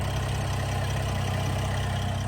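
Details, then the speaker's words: 2025 Ram 1500 RHO, twin-turbo 3.0-liter Hurricane I6, heard from the front at idle: even, low idle with fine rapid ticking, almost diesel-like direct-injection injector tick; normal. "you'll hear it almost sounds like a diesel and that's because it's direct injection so you hear that little injector tick"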